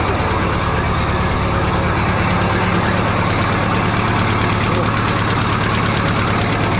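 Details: 1967 Minneapolis Moline U302 diesel tractor just after thermostat replacement and coolant refill, started in neutral to warm up, checking for leaks: steady low diesel idle with even, unhurried beat, no knocks, misses or rattles; healthy.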